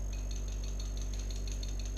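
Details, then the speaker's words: GY6 50cc Chinese scooter carburetor being shaken during cleaning: light quick ticking rattle about five a second over a low hum; float moves freely and shuts off fuel when closed. "hear the float shake okay so that means you can blow through when it's upside down and the floats are closed it's impossible to blow through because that's cutting off the fuel supply"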